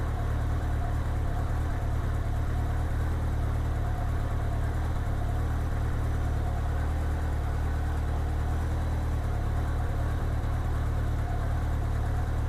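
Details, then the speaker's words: 1987 Honda GL1200 Goldwing after synchronizing the four carbs with a Carbtune tool; smooth, even low idle with a steady beat and no popping or stumbling. The earlier popping is gone. "As you can hear, it sounds like the popping is gone."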